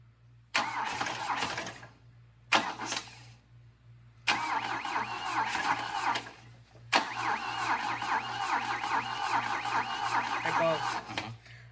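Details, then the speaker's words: 1966 Volvo Amazon 220 wagon being revived: four separate bursts of starter cranking, none catching; no fuel reaching the carb, fuel pump suspected; cranks but won't start. "I just want to get it started still don't have any fuel coming here"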